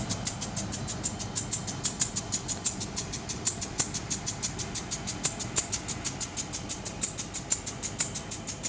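Quick, steady ticking about three times a second over a quiet engine hum; a clear clicking whose cause is still unknown.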